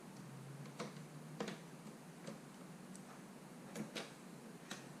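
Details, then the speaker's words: Used eBay GameCube being repaired, laser in back position, preview disc inserted: only scattered soft laser-sled clicks, no spin-up whir; disc not spinning, not reading. "it's not doing anything is it frozen it's just not reading the disc so if we open this up see how the disc isn't spinning"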